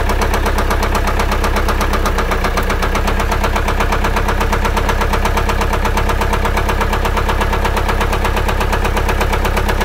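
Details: Car engine at idle with sudden change in sound: fast, fairly even tapping about three per second over steady idle; ticking noise, cause unclear.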